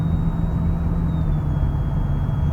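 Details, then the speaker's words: Gen 2 Lexus LS400 while driving after air filter replacement: thin, steady high-pitched whine above road rumble, which the owner attributes to his radio installation; drowned out when radio is turned up. "whine, if you guys can hear that over the camera, that's from me putting this radio in."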